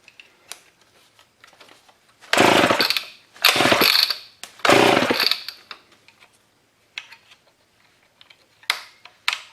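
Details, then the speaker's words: Old Homelite chainsaw left in a scrap pile for over a year, on carb spray with a sticky recoil: three rough pull bursts with only a faint pop, never catching. Cranking, no start. "recoil is a bit sticky oh there we go well I don't think she's going to run off carbs"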